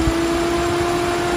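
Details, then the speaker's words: Ford EcoSport at idle with AC on: steady, even whir from the electric radiator fan with no rubbing or ticking. Normal operation, cycling about 10 seconds on and 10 seconds off. "ele trabalha assim mesmo tá pessoal ele aciona Passa 10 segundos no máximo ligado aí desliga Passa 10 segundos em média desligado aí liga"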